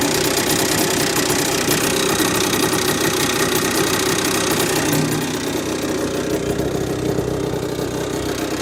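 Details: Honda NSR50 two-stroke with bored-up Daytona 62.9cc cylinder: fast rattly knock over buzzy idle, about three per second, steady; owner suspects crank big end or balancer bearing, unresolved after reassembling other parts.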